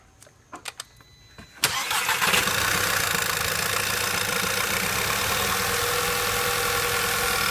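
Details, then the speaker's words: 2008 VW/Audi 2.0T TSI, first start after intake-port carbon cleaning. A few clicks, then the engine catches abruptly into a slightly uneven idle while air is pushed out of the empty fuel rail. "It will take a while for it to actually start up, and it's probably gonna be misfiring for the first couple of seconds that it's gonna start up due to the lack of fuel in the fuel rail."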